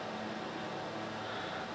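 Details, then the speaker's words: 2004–2006 Sharp XV-Z2000 DLP projector after cleaning and lamp replacement, at power-on with lamp lit and color wheel spinning: even, steady airy fan hum with a soft constant whir, no rattles or scraping; running normally, color wheel not noisy. "color wheel started and see the light down there coming on color wheel sounds good too it's not too noisy"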